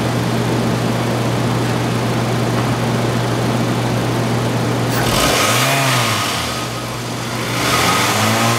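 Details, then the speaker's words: 2005 Toyota Camry LE, 2.4 L California-emissions engine, front-wheel drive, 77,000 miles, parts car: smooth steady idle, then two clean quick revs rising and falling evenly with no knocks or rattles; normal revving. "if you bear with me one second we're going to rep the engine a little bit just so you can hear exactly out of motor"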